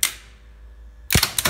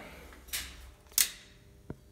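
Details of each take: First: DAKA elevator machine room, building from 1962, elevators modified 1986: sharp brake clack, pause, solid thump and motor straight up to full speed; normal brake release and start, unlike the other lift whose brake stays closed too long. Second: 1962 DAKA elevator (1986 modernisation), after sparking at a normal shutdown: clicks, then the motor surges in with a held-back rising hum as the brake stays closed a few seconds too long, worse going down; a burned brake-rectifier diode was found.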